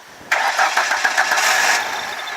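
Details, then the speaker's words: Ford Ranger after a transmission install, long unused and started with starter fluid: catches with a sudden roar for about 1.5 seconds, then dies; engine is good, but a bad fuel pump from sitting is suspected. "I believe the fuel pump is bad on this because it's been sitting, but when you spray some starter fluid in and whatnot, it starts up."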